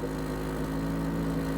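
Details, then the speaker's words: Rolls-Royce Silver Shadow at steady low idle with a constant flat buzz underneath; owner suspects he blew a hole in the exhaust when revving it just before, cause unconfirmed, fluid also seen leaking underneath. "You hear that buzzing? And I don't think that was there. I think I just did that now when I revved it up. I think I blew a hole in the exhaust."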